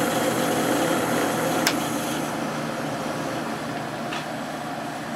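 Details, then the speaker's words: Late-1990s/early-2000s Whirlpool AccuDry 40-pint dehumidifier, reciprocating compressor: steady hum under airy fan hiss, slightly noisy at first then settles even; starts cleanly, drawing about 6.2 amps, smooth-sounding. "all right now it's quiet down here and we can just hear this one this one has a real nice sounding compressor in it"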